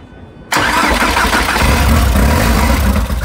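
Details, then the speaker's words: Old nitrous VW Jetta with an 8v engine at its first start after a long sit (a fuel leak at the fuel filter remains): a brief crank, then it catches at once and settles into a steady, even idle with no misses. "okay we got her running y'all she back running now now to fix the little stuff"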